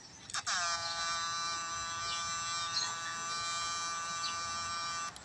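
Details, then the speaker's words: GM8999 transformer with low output and failing switch, fitted with a 2 µF capacitor instead of original 104 (0.1 µF): steady harsh high-pitched buzz; wrong capacitor makes transformer sing, restoring 104 quiets it. "เปลี่ยนเป็น104นะครับเพื่อนๆจะสังเกตว่า104นั่นน่ะเสียงไม่เสียงมันไม่แก่เท่ากับตัวนี้นะตัวนี้ใส่แล้วเสียงมันแก่ครับ"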